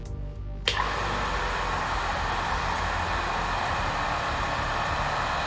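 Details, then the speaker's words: Restored 2006 Crompton Greaves Mini Star-2 0.5 HP, 2780 rpm single-phase pump after new SKF 6202 2RS bearings, seal and 10 µF capacitor: click, then steady, even whir without growl or rattle; bearings freed up after initial stiffness from rubber seals. "so this motor is running for a while now as you can see now the bearings are free means during the first time the bearings have a little bit jam in there because of the rubber seals"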